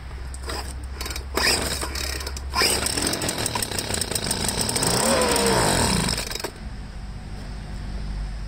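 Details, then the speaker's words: Poulan handheld blower two-stroke after fuel line replacement, run at half throttle to warm up; blats unevenly with sputters and surges; owner suspects air still in fuel lines or a carburetor problem. "sometimes it takes a little while for all the air to get out of the fuel lines and I read that and like I said before sometimes it's something wrong with the carburetor"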